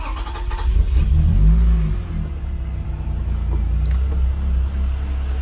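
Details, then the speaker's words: 1993 Toyota MR2 SW20 with swapped-in 2GR-FE V6, first start after install: uneven stumbling idle with surging revs, stalls as soon as throttle is applied; owner suspects injectors gummed up from sitting, possibly a fuel issue. "it is running we have power I'm wondering if there's an issue with uh injectors just kind of being gummed up from sitting for so long because it's not running really great it's a little stumbly and as soon as I hit the gas it stalls out"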